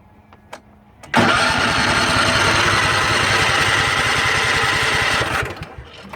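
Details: Craftsman riding mower with a Kohler Command engine and a replaced carburetor, run dry earlier to clear rusty fuel. On full choke it catches, runs rough about four seconds, then dies. Owner suspects it isn't pumping enough fuel. Engine starts then stalls.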